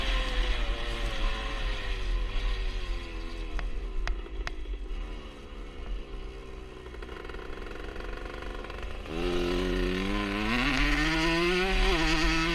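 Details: 1977 Honda CR125 Elsinore two-stroke with new HPI ignition: revs rise and fall with the odd brief stumble between blips; intermittent stutter, owner suspects an exhaust leak since it ran fine before the leak appeared.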